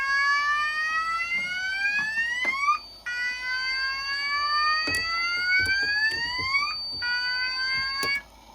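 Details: Pertronic F-4 fire alarm control panel system test: loud rising whoop tone repeating about every three seconds with sharp clicks between; sounders in full alarm from a tripped heat detector, before the panel is silenced.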